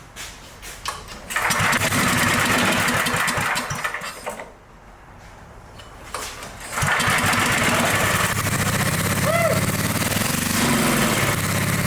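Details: Dayton generator engine, unused 30 years, after fixing a fuel drip: catches and runs only roughly on choke, surging with no steady idle; carburetor fuel-starved, clogged main nozzle, adjusting screw seized.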